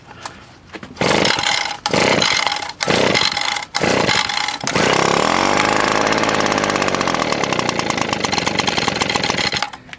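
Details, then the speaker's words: Echo PB 200 leaf blower, roadside find, started after WD-40 on a sticking part: four pull-cord rips, then it catches and runs fast with a slightly rough, burbling note while still on full choke; may rev higher, air filter possibly dirty. "I like that choke's still on so running open foreign"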